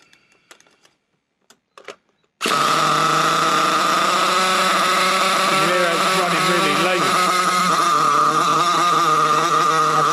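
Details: Nitro RC buggy (Trophy) in cold weather: high, thin, steady scream with no blubbering at the bottom end; plenty of smoke at top end but lean at bottom, low speed needle fault, confirmed carburetor issue.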